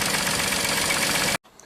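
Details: 1995 Mercedes E320 wagon, not run for a year, replacement crankshaft position sensor fitted, warming up a couple of minutes with no codes stored: even, settled idle with a smooth beat and no misses or clatter before it cuts off; running properly.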